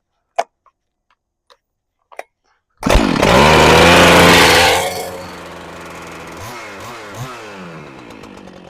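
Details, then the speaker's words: Husqvarna 395XP chainsaw after replacing the snapped starter rope: pulls over and fires at once, screams up briefly then settles to a steady even idle with no misses, stop switch tested; normal running. "See if our stop switch works. We're back in business."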